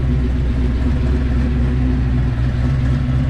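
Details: 1986 Fox Body Mustang with a 408 stroker V8, Holley EFI, newly installed MSD coil, after a locked-up oil pump repair, initial startup and distributor sync, not yet tuned, with wind in the background. Deep, loping, steady idle with no knocking or ticking; sounds good.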